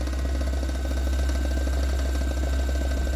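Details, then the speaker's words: Usha mixer grinder, 230 V AC, 750 W, running: small motor hums with steady whine and fast uneven knocking rattle from inside as speed varies; worn internal shaft bush. "এটা ভিতরে ঠক ঠক করে আওয়াজ হচ্ছে, সেটা বুঝতে পারছেন। এই যে আওয়াজটা হচ্ছে, ভিতরে একটা ঠক ঠক ঠক ঠক করে আওয়াজটা হচ্ছে,"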